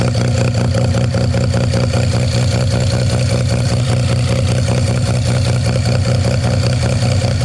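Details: 13B rotary with EMPI IDA carb after further float adjustment (over half mm beyond about 5.2): steady even idle, smooth low burble, no stumbling or hunting; no more overfueling or fuel spilling.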